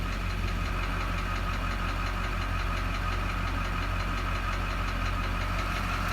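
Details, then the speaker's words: 2001 Chevrolet Duramax 6.6L diesel idling with light regular tapping about twice a second; scan-tool balance rate shows number 6 injector at -7.1, sticking open and overfueling; truck runs fine otherwise, noise fainter once warm. "It just that number 6 injector is staying, or it's getting stuck on open position, and it's throwing too much diesel."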